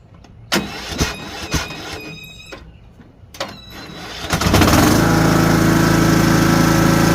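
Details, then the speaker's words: Troy-Bilt Bronco riding mower after replacing a blown 20 A fuse that caused a silent no-crank, no-click condition: a few dull clicks and clunks, then the engine catches and settles into a steady, even run; normal running. "So there you go guys. If you have starting problems, not starting, go ahead and check your fuse."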